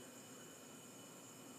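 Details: Essential oil diffuser running: soft, even hiss with a faint steady smooth bell-like tone and no rattle or knocking, unlike the other diffuser that rattles through its volume outlet; normal running.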